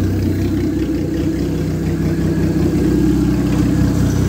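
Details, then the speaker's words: Ex-race Neon four-cylinder on a floor test stand, running after start-up: even, steady idle with a smooth low rumble and no knocks or misses; charging, no coolant bubbles, good oil pressure, a healthy engine. "yeah good this is really a good little engine"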